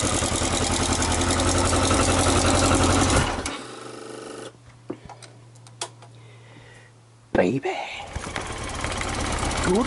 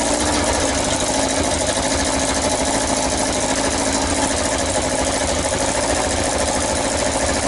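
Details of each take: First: Yamaha XJ900S Diversion four-cylinder: ticks over evenly at idle, stops, then fires straight back up and settles smoothly; healthy normal idle. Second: Yamaha XJ900S Diversion four-cylinder, first start after restoration: even idle with sharp, hissy puffing chuff on each firing pulse; exhaust blowing at header pipe/manifold, owner suspects a slipped gasket or loose fitting.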